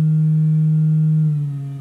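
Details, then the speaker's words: Magnepan MG-3.6R right speaker on a sine test tone stepped down to about 129 Hz: a faint buzz creeps in over the pure note, a sign of delamination as the glue holding the wire to the Mylar diaphragm fails. "and there the right speaker is making that noise at about 129 and that again is a sign of delamination the glue that holds the wire onto the myar diaphragm is failing"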